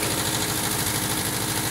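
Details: 1979 Volkswagen Type 2 with 2-liter fuel-injected flat-four engine at idle: light, rapid metallic clinking like glass bottles tapping over a steady idle; owner suspects the fan, refitted without marking its position after cleaning and painting; cause unconfirmed.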